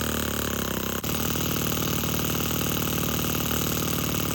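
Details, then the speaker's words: Four-stroke nitro RC crawler with a Revo 3.3 transmission, started on a glow starter with no driveshaft, so no load. After a brief crank it catches and holds a steady, buzzy free-running note with no misses. "So for right now, we're going to use the glow starter. We're just going to crank it up."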